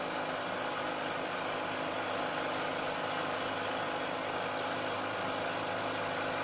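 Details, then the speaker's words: Milling cut in a rigid, damped setup using sliding plates, same depth as the earlier cut: even, steady cutting hiss with no chatter or squeal, much quieter toward the end of the part, giving a better surface finish. "I'm taking a cut this time roughly equal depth to the cut I took before you'll hear that there's a very big difference in a noise produced especially as the cutter gets out towards the end of the part"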